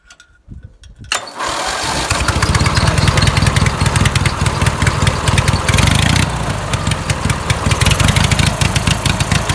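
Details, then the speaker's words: Home-built racing mower twin that died on a test drive with a white puff from the carburetor, started again to test the fuel pump and carb. It catches after cranking and runs lumpy and uneven at low speed, needing low-end tuning. Finding: rough low-speed running. "Okay. Well, it does run. Um, still needs a bit of tuning on the lower end, but um, it does run."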